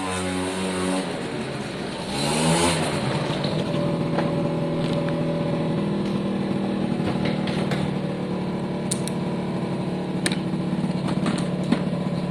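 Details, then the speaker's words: Suzuki AP50 two-stroke after carb clean, on a quick road test run: holds a buzzy road-speed drone but sounds flat and reluctant at full throttle under load, though otherwise running well. "it's still a bit flat on full throttle under load but it is running well"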